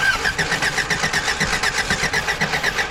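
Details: Old Toyota truck sitting 26 years, cranked with battery installed; even starter cranking at about two and a half beats per second that never catches; plug wires hooked up wrong and one wire missing, no spark.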